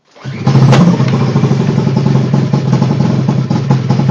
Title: Rough idle